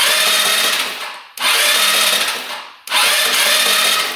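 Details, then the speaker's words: Scooter unused for a couple of years, seller said non-running: electric starter cranking after penetrating oil down the cylinder, three short smooth high whirring bursts, no knocks or clatter; engine turns over freely. "Alright, let's see. Sounds pretty good. Not hearing any knocking."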